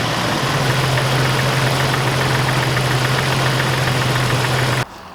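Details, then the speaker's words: Jeep Wrangler with dead 2-volt battery, jumped by NOCO Genius Boost GB40 stored a year uncharged: steady, even engine running with low hum for several seconds, then cuts out; engine fired and ran fine. "Jump started this dead battery, 2 volts, and it started the Jeep. That is amazing."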